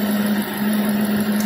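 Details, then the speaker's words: Ford F250 that was shaking, misfiring and whistling like a pressure cooker, during a functional test with a hose covered by hand: steady, even idle hum, the earlier misfire gone, engine running evenly. "incluso el miss fire que se escuchaba y hasta el motor está trabajando pareja"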